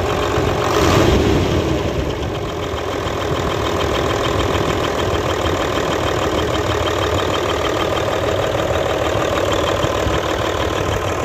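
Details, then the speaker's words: Hino Euro J08C six-cylinder truck diesel at idle with a rough knock of roughly three beats a second, coming from the air compressor side. Air compressor connecting rod knock. "तो खैर मैं आपको बताता चलूं इसकी आवाज़ जो है कंप्रेसर की तरफ से ए रही है ठीक है"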